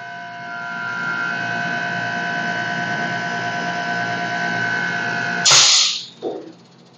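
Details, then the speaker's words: Hermetic refrigeration motor air compressor with 80–120 psi piston-type pressure switch, after closing outlet valve to build line pressure then reopening: motor hum with whine, brief air rush, no lingering hiss; relief valve now sealing, no leak. "Na hora que eu vou abrir o registro, ele não tem mais vazamento, tá bom?"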